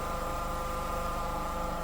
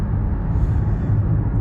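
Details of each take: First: Nissan Rogue CVT, warm after standing several hours: steady even hum with faint whine over the idling engine, plus harsh jumps when engaging Drive or Reverse; past codes including P17F1, gearbox already repaired twice. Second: Nissan Rogue CVT after a third repair to cure clunks when engaging Drive and Reverse and a gearbox hum: smooth, even low road rumble while driving with no clunks on take-up. No errors, so the transmission is behaving normally.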